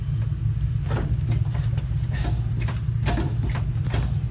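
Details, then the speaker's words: 1966 Chevy C60 semi truck started after sitting for decades, air pressure at 30 psi: deep, steady low rumble at even speed with a few brief clatters; old engine running healthy. "okay we got to wait it has started I got 30 pounds of air sounds good listen to this"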